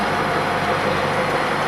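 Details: 1929 Studebaker camper on bus chassis, fully rebuilt President 8 straight-eight (new rings, aluminum pistons, balanced crank, rebuilt fuel pump, rebuilt balanced clutch and flywheel), Fuller 4-speed; dense even rumble, no knocks or rattles, runs smoothly.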